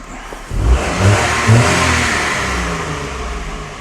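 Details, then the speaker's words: Daihatsu Sirion after a new alternator, water pump and belt were fitted: the engine revs up smoothly and eases back down with no knocks, squeals or grinding. Only the expected normal noise remains. The starter was noted as not disengaging properly. Normal revving. "but there's no dodgy noises this is great well there is a dodging noise but it's it's meant to make that noise it's a norm noise"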